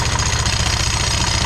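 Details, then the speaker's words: Italika motorcycle (WS), engine idling with CVT cover open: fast, even knocking about twelve beats a second, initially mistaken for a connecting-rod knock, actually from the variator and clutch spinning visibly crooked (wobbling); two faults found, to be removed and inspected. "son dos problemas que tenemos. Entonces vamos a quitar esta, apágala, vamos a quitar esto y revisar qué fue lo que pasó ahí, porque está girando así de chueca, está girando muy muy chueca."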